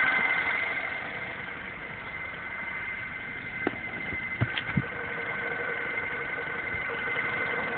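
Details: MINI Cooper S with under 2k miles, idling. A steady high whine sits over a quiet, even idle; the source of the whine is undetermined.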